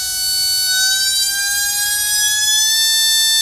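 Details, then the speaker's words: Modified brushless RC motor on a motor analyzer, can timing set too low, around 4.2 A: steady high whine creeps up in pitch only slowly as it spins up; low timing holds back revs, roughly 500–1000 rpm lost. "see how it come up slow the revs kind of come up really slow the amperage only dropped 0.5 a very little bit dropped about a thousand RPM I think it was or 500."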